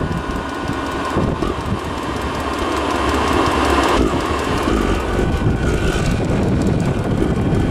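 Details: Diesel heater after oven-cleaner cleaning, run outdoors on a windy day: loud uneven roar with a rough pulsing flutter, never settling, running no better than before and burning mostly outside; cause unclear. Rough roaring combustion.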